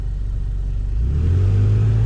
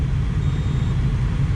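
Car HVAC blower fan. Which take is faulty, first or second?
first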